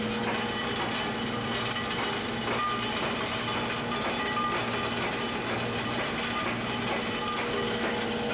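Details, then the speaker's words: Staley Sagamore cogeneration plant, coal at up to 8% moisture flowing from the gravimetric feeder down the pipe into the Williams pulverizer mill: steady, even gritty rattle and hiss with no knocks or surges; normal coal flow. "the noise you're hearing is a coal coming from inside of flowing inside the"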